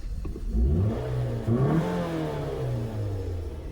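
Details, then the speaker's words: 2008 Scion xB, Toyota engine, 270,000 miles, slight oil leak, O2-sensor check engine light on; the engine spins up through a couple of clean, smooth revs with no knocks or rattles. Healthy. "But the motor sounds good."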